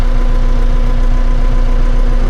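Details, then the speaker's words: Tractor diesel carrying hydraulic load after the connection was moved from the top to the bottom, which cured the earlier engine bogging. Deep, even drone with no dips shows constant, unrestricted flow; normal operation. "So you can see now, no change of the sound of the tractor. That means that the flow is constant and nothing is stopping it."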